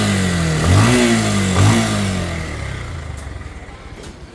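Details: Pulsar motorcycle with about 16,090 km in for service: engine blips twice then settles to a rough, slightly uneven idle; abnormal engine noise, cause not yet pinned down.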